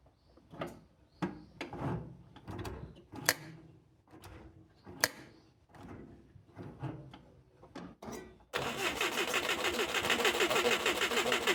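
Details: Mitsubishi Jeep J3-J10 engine being recommissioned, investigating a no-start and carburettor overflow: slow uneven chuffing near three beats a second with weak stumbling fires, then a sudden harsh continuous rush; hard start with misfiring.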